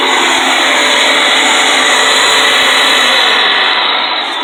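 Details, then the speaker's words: Curbside-found Durabuilt electric pressure washer, running a couple of minutes: an even, high-pitched motor hum with a steady whir and no grinding or stutter; normal motor running, only fault a kinked hose. "cleaner and as you can hear the motor seems to run fine"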